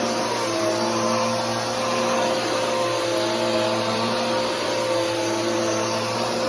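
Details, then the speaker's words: Bissell PowerForce Helix 3313 vacuum under a test run gives a steady motor roar with a few sustained tones on top and no let-up; the owner says that noise is the drive belt. "[Music] and that noise is the belt uh but anyways that's the 33113"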